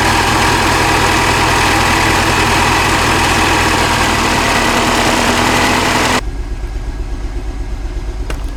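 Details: Mini Cooper Clubman S with a flashing check engine light after 4 miles and code P0300 random misfire. Lumpy, stumbling idle persists after new plugs and coils, and the misfire moved cylinders. Owner suspects the high-pressure fuel pump.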